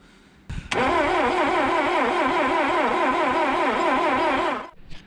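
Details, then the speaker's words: 1967 Toyota Corona RT40, not run since 1978, with recharged battery, fresh fuel, new plugs and weak ignition: sluggish labored crank about 2.5 beats a second for four seconds, never fires; starter slow, no start. "Bon, la situation s'améliore pas. Donc le démarreur est mou, on a remis de l'huile, le circuit de lubrification n'était pas au top, donc ça c'est un petit peu amélioré."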